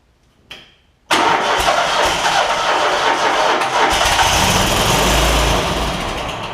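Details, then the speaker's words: John Deere ZTrak Z915E with Kohler V-twin, sat 2 years, cold day, carb spray added: sluggish crank churning without catching; weak battery turning it slowly. "Let me grab a little bit of carb spray, get it kick started. The battery is a little weak."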